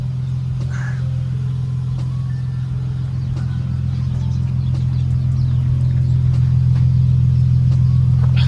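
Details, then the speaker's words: Nissan S13 Silvia with a cheap replacement non-SR engine: a deep, smooth hum holds steady and builds slightly without knocks or stumbles; engine idles cleanly and evenly, runs good. "like I said great car runs good sounds good it's not an Sr but it's something you know I prefer it to have this engine for now"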